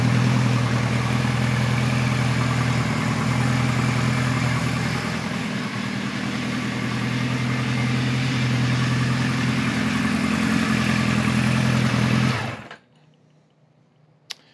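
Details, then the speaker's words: 1973 Kawasaki Z1 900 with new 4-into-4 exhaust during jetting, air screws at 1 5/8 turns: warm idle with a slightly lumpy, uneven beat; one cylinder, owner suspects 1 or 2, seems weak, cause unconfirmed. "sounds like it's coming from that side so it'll be one or two I don't know let me uh let me think on this a bit and maybe double check the air screws"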